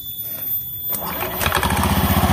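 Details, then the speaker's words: Honda Beat ESP that would not electric-start, after starter-side repair with threadlocker: starter whirs briefly, then the engine catches within a second and settles into a steady, even idle; normal electric start. "Oke ini sudah hidup hidup normal Saya rasa ini sudah bisa dibuat jalan ya"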